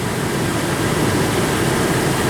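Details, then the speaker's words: Engine running after exhaust manifold-to-pipe flange leak repaired with a clamp and final nut tightening: steady, even drone with no puffing or ticking from the manifold; exhaust sealed, sounds like it never leaked. "let me start this thing up jeez it sounds like a brand new like I never had a leak I think we're good to go"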